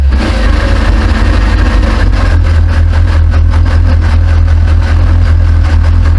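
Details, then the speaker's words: Classic Mini at first start after winter workshop rebuild and catalytic converter stud repair, late evening; loud deep steady exhaust burble, even beat, no knocks or misses; normal idle. "It'd be rude not to start it up, give it a little rev for you, so it's pretty late in the evening. I better not rev it up too much, but obviously we can do now. So it sounds lovely, doesn't it?"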